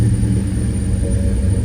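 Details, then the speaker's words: 1972 Chevrolet El Camino big-block V8 with aftermarket fuel injection, just after a cold start: deep, steady low rumble with an even beat and no knocks or misses; idling cleanly. "see it was a nice cold start and what a symphony of sound coming out of that big block let's go out and give a closer listen to it I love that Rumble folks"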